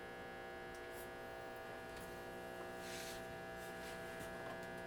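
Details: 1937 Zenith 10S130 tube radio slowly powered up at about 80 volts, drawing half an amp: steady low hum with a buzzy edge, unchanged throughout; hum from the audio stage, supply filtering suspected.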